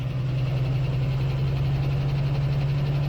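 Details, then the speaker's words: 1976 postal Jeep parked in the woods for years, started on a jump pack: steady low drone with even, smooth idle and no knocks or misses; running fine, arguably better than before. "Not too bad."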